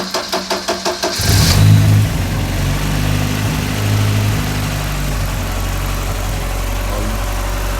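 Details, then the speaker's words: Ford RS Cosworth barn find after new timing belt and water pump, timing corrected from one tooth out, run briefly on jump pack without hoses: brief cranking then immediate catch and even smooth idle; normal running. "that really has made a difference getting that timing bang on because it sounds completely different what a difference that made"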